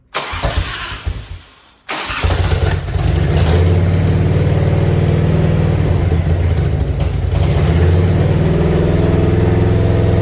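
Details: Grandpa's Harley-Davidson, off the road over 15 years, started again during restoration: catches after a short crank and settles into a lumpy uneven idle with irregular exhaust pops; owner says it needs fixing, cause unclear.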